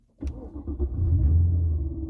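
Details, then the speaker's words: Mercedes-Benz CL550 just back from about three weeks in the shop for a no-start, cold at 57°F: quick crank, catches at once, flares to smooth steady high idle, no codes; normal cold start. "So it starts right up with no codes on it. It is cold out. 57 degrees."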